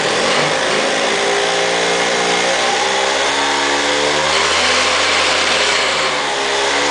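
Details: 2002 Aprilia SR50 DiTech two-stroke on a lift table, wide-open-throttle fuel pressure test for power loss above ~30 mph (pressure drops from 7.5 to 5 bar); high wail climbs and holds, buzzy rattle from the table, no stumbling or cut-out.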